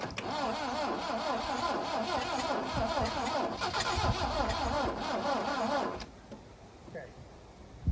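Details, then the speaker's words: 1972 Plymouth Cricket (Hillman Avenger), sat since 1989 with a weak battery: slow, uneven cranking for about six seconds with faint attempts to fire. It has compression enough to fire, but the owner suspects a small hole, plans new plugs, and has fitted the carburetor from another car. "As far as I'm concerned, that satisfies 2 things. One is trying to fire. It's got compression enough to fire."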